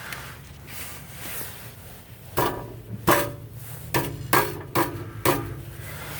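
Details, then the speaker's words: Ford Crown Victoria exhaust, on jack stands, converter struck from underneath: sharp metallic clunks and jangly rattles from a broken catalyst substrate loose inside one of its four catalytic converters, not a loose heat shield. "I hope you can hear it but it sounds like the catalyst inside is broken and rattling around in there so it's not a loose heat shield"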